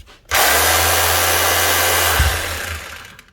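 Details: Makita HR2630 SDS+ hammer drill, customer's heavily used tool, on test before teardown: motor spins up to a steady high whir with no hammer blows, rotation only; hammer action not engaging, cause not yet confirmed.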